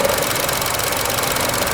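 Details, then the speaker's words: 2012 Chevy Cruze Eco, EcoTec turbo, 156,000 miles, idling: steady idle with a dense, tinny, unchanging rattle heard outside but not inside the car; source not pinned down. "I can't believe how that rattles. You can't hear it inside the car. It's just messing up the video."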